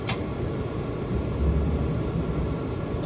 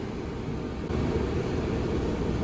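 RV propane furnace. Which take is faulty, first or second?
first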